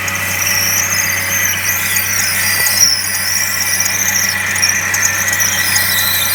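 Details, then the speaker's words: Suzuki SX4 manual, heard from inside the cabin: loud piercing steady squeal above a quiet engine hum from the serpentine belt drive; owner first suspects the water pump bearing, an idler likely the culprit. "I'll start it up a so you can hear the noise and then I'll take you aside and Wow what racket"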